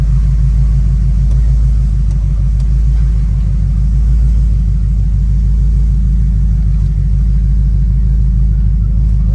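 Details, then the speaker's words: Ford Crown Victoria at idle after fixing exhaust leaks: deep, loud, even exhaust rumble with no puffing or ticking from the joints; sounds back to normal without the exhaust leak noise. "say I'm back normal it's sound better cuz it ain't got all that exhaust leak noise"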